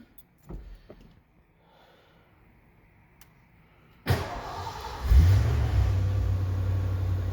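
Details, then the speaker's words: Ford F-150 dead cold start with clutch and oil pan issues noted: starter whirs briefly, engine catches at once and settles into a steady low idle, no knocks or misses; runs pretty good, good oil pressure. "look at that. Actually, it runs pretty good. Good oil pressure."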